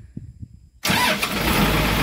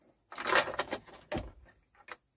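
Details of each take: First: Komatsu PC200-7 excavator after starter motor repair, previously only clicking: brief crank catches at once and settles into a steady, even diesel idle; starter working normally. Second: Komatsu PC200-7 excavator, key start with battery terminals checked tight and clean: sharp irregular tek-tek clicks, starter does not turn; suspected dirty or burnt solenoid plunger contacts, starter to be removed.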